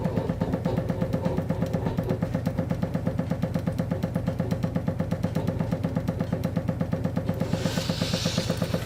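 Sharp regular knocks, nearly three a second, keep repeating in the pipes while the boiler runs; water hammer set off by the dripping tap.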